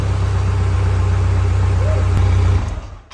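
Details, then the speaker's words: 2022 Vanderhall Venice GTS with a fully rebuilt engine, first run after a new battery fixed the no-crank, no coolant so only briefly: steady, even low idle with no knocks or ticks, then a clean shutoff; it sounds healthy. "you know what that means we actually put this engine together correctly we've got no coolant so I can't run it for long sounds good"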